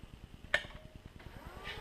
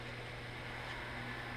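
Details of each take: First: New Teknatool Comet II midi lathe during motor break-in, middle belt at highest variable speed: thin tone rises into a steady whine from the brand-new brushes bedding in; quieted after roughly 30 minutes of break-in. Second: New Teknatool Comet II midi lathe after its 30 to 45 minute brush break-in: low, even hum with a faint steady whistle and no knocks or grinding; motor now dead quiet compared with its whiny start.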